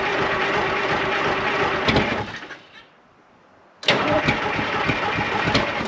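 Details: 1975 International Loadstar 1850 Detroit two-stroke diesel, first start after blower repair, idle setting unknown: steady rapid cranking, pause, then more cranking with loud rough churn; never settles to clean idle, slow to start.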